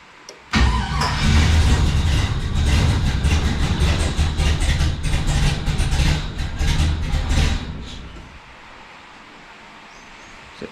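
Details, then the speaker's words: LS1 V8 in a 1951 Chevrolet custom, first start on Holley Terminator X Max after coil harness re-pinning and TPS reset: catches with a loping, uneven beat that stumbles and dies; rough idle, cause unknown, possibly misfiring. "It sort of idled, but not really. You can tell it sounds like it's got a bigger cam than it actually has."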